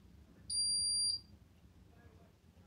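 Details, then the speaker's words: Two steady high beeps about half a second each in a quiet room from a Hoover Dynamic Next DX condenser tumble dryer: error code showing the heater element is disconnected; clears after reconnecting it. "and it's got this error code which indicates that the heater element is not connected"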